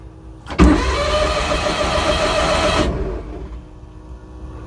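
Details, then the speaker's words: 1991 Suzuki Carry 660 Kei truck, sat several months, battery charged: starter spins the engine evenly for about two seconds with no firing, then stops; cranks but won't start, cause not yet diagnosed. "All right, well, I thought it would crank, but there was nothing there."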